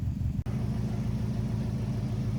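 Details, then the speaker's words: Subaru WRX with JDM engine swap, dry-fire test after install, transmission cooler looped: lumpy, uneven idle with stumbling beat; misfire, cylinder one suspected, possibly a failed coil pack, injector or spark plug. "I hope you can hear this because I can definitely feel it but we've definitely killed a coil pack maybe a injector or a spark plug or something because it is definitely down a hole already"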